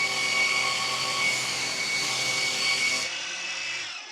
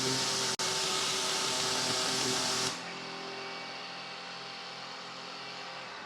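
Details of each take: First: Revised Maxflow MPro 25 pressure washer, ramp-down after trigger release: shrill steady high squeal over coasting motor whir, dropping away suddenly at the end; motor squeal on ramp-down. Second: Revised Maxflow MPro 25 pressure washer, drawing about 14.6–14.7 amps and throttling itself back near that limit: even, fairly quiet motor hum with a steady hiss that cuts off and winds down smoothly; normal run and spin-down.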